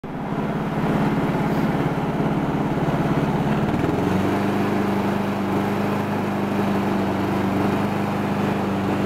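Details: Honda Harmony 215 mower engine after a third carb cleaning; the low-end idle mixture screw broke and could not be cleaned. Steady, even single-cylinder drone drops slightly in speed near four seconds and stays smooth, no misses or surging; normal running.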